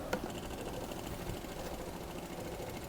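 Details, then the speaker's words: ANCEL BR2000 Elite one-person brake bleeder, first run purging air from the line, pulse setting 1, powered from car battery: quick even chattering pulse as it draws brake fluid; pump working normally. "I hear it pulsing. It's taking in the brake fluid. It's pulsing."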